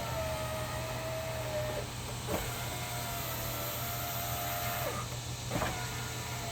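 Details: 2000 Saturn SL2 driver's-side power window tested with the switch handle temporarily reconnected, door panel off before reassembly: smooth steady motor whir as the glass travels, even pitch each pass, soft stop; normal operation.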